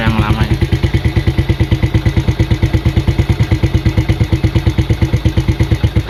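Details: Yamaha Vega ZR, unused 3 years, old carburetor internals gummed with stale fuel, just fitted with new NPP aftermarket carb on stock settings: steady even single-cylinder idle about three pulses per second, no misses or hunting; now accepts throttle, confirming the old carb was the fault.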